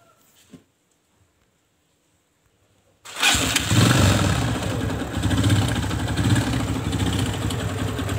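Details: Kawasaki ZX motorcycle with a complaint of rough engine noise: after a pause it fires into a harsh, rattly clatter of about four beats a second at idle. The owner suspects a loose timing chain or connecting rod/piston; the source is unconfirmed.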